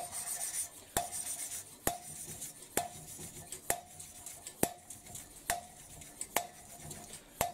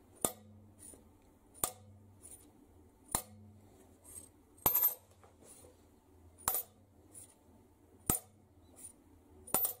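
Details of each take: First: Hand-lapping a valve on a Mercedes OM366 engine with suction-cup tool: ringing taps and gritty rub, sound changing as lapping paste wears off the seat. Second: Mercedes OM366 diesel cylinder head on the bench: valves lifted and dropped onto their seats give crisp bright clinks about every 1.5 seconds; a ringing sound indicates an ideally cut seat, while a dull thud indicates a poorly cut one.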